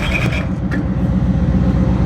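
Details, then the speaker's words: Mercury Cougar first start after new spark plugs, weak battery, pulley rubbing; steady low rumble with even beat and no misses, pretty smooth running; normal running. "Well, I would say that's pretty smooth running for the most part."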